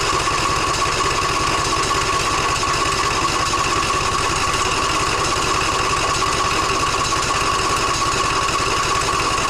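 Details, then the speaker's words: John Deere E140 riding mower brought in for no-start: engine chugs unevenly at about three pulses a second with no clean firing rhythm; fuel filter barely dribbles cloudy water instead of fuel. "just barely dribbling and that looks to be water not fuel that is about as cloudy as it can possibly get"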